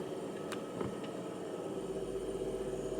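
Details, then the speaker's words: BMW 650i E64 N62 V8 after a new right motor mount, diff bushing, gearbox mounts and driveshaft flex disc, which had previously clunked in reverse: quiet, even low hum backing up with faint light clicks. There is no driveline clunk. "Okay. I'm in reverse. Well, no terrible noises there."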